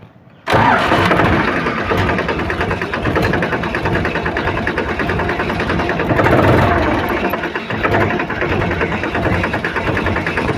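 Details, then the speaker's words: Powertrac Euro 42 Plus tractor (about 44 hp) whose hydraulics lift on their own at start: diesel runs heavy and strained with rpm dropping as if under hard load; engine bogging under hydraulic overload. "तो देख सकते हैं कितना इसका RPM dropping है कितना जाम इसका engine चल रहा है यानी कि जैसे लोड ले रहा है"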